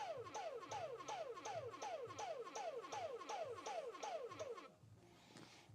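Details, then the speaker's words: Dyson cordless vacuum that flashed red and wouldn't charge, powered from a bench supply at 21.6 V and 4.9 A: rapid falling chirps, about three a second, then an abrupt stop; the motor keeps trying to start and cuts out, cause undiagnosed. "that was an exciting noise could you guys hear that"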